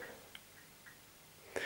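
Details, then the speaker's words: Vestel-built 42-inch super slim TV, 17PW01 power supply dated May 2009: a few sharp dry relay clicks as it tries to switch on and drops out, stuck in standby; power supply fault suspected, capacitors to be replaced. "but this is stuck in standby so in the relay you can hear the relay clicking on and off when you try to turn it on"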